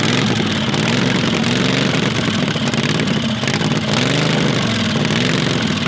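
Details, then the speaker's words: Predator 670cc V-twin dragster engine: loud idle wavering up and down; unstable idle, vacuum leak at intake suspected, not confirmed. "there's a idle issue could be a vacuum leak from the intake"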